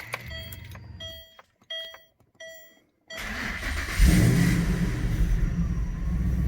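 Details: Manual Ford BA GT Boss 290 V8 with an upgraded intake plenum and twin 60mm throttle body replacing the factory 75mm, after its throttle body airflow tables were rescaled 28%: chimes, then it fires and settles to a steady, even idle with no hunting. The idle is now correct.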